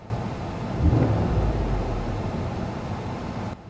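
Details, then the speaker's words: Mercedes SL600 V12 twin-turbo, about 500 hp, at a dealer auction, inside the car: a quick throttle blip brings a loose, uneven rattle over the engine's rise and fall; something loose, cause unknown, not a misfire. "I didn't like that I heard a nasty rattle when I revved it up don't like that"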